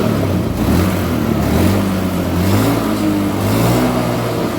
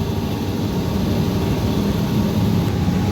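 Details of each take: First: Honda Beat Street before repair, fuel pump pressure under 30 psi (spec 40–50 psi): revs climb hesitantly, then sag and hang without picking up cleanly. Engine bogging from low fuel pressure. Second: Honda Beat Street, fuel pressure back to 40 psi (spec 40–50 psi): low steady engine hum with even tone, no stumble or surging. Normal running.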